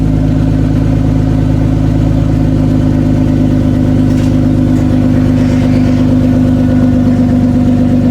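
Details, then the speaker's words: Toyota Cressida MX83, first start after engine reinstall, warming up, exhaust not fully plumbed in: loud, steady idle, deep exhaust note with leak puffing, no misfires or knocks; oil pressure and coolant good. "I know I have enough oil in the engine, so let it idle for a little bit. We'll come back and check on it in a bit. So, yep, that's the first start."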